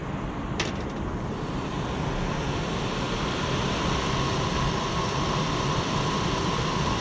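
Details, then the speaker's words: Rooftop HVAC unit blower after belt work and pulley adjustment to cut start squeal: steady, even hum with a faint constant tone, no squeal or slapping; quieter than before, though belt noted as not new and due for replacement; normal running. "quieter than it was not a new belt"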